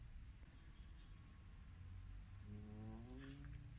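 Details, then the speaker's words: 2003–2007 Honda Accord HVAC: a brief rising groan from behind the dash as the sticky recirculation mode door actuator moves, happening more when switching off recirculation; caused by lack of lubrication in the actuator. "But what I want to cover is actually so if I turn on, the problem I'm having currently is that the actuator for the mode door for the actuator that controls the recirculation function is a bit sticky, so you would hear this"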